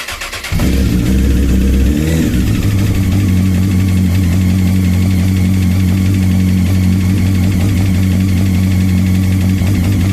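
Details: Honda CBR 954 RR motorcycle starts and idles with a dull, rapid rapping: factory piston slap where short piston skirts hit cylinder walls; fix is 2003–2007 CBR 1000 RR pistons and rings.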